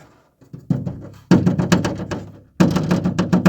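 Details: Renault Duster door: taps give hollow, buzzy knocks with a loose rattle after each hit, an inner reinforcement come unstuck from the door skin; fix is resealing it with windscreen sealant or silicone.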